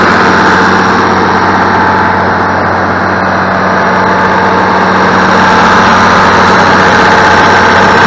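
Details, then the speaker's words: International 1586 diesel tractor, started after sitting two to three years, fired up quickly and easily; steady, regular idle with an even low beat, no stumbles or knocking; normal idle. "my 1586 fired up and and I mean it's been sitting for two or three years now and you heard how quickly and easily it just said boom wow man"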